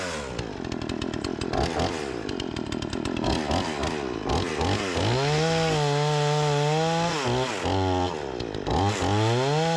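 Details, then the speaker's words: Repaired Remington 46cc two-stroke chainsaw cutting large tree-branch logs: revs climb and hold strong through each cut, dip briefly and recover cleanly between passes; plenty of power, seems well tuned, normal running under load. "it's got plenty of power I was just going into the wood a little bit a little bit funky as you guys can see the chips is putting down plenty of power"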